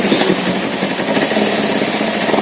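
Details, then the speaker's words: Kawasaki Z250 FI with severe low-rpm stuttering, thick black smoke and no warning light: idle sometimes near 1500 rpm but sometimes stuck at 3000–3500 rpm, a steady fast buzz; high idle. "untuk rpm-nya sendiri kadang mau stasioner seperti ini mau kadang tertahan di 3.000 3500 RPM"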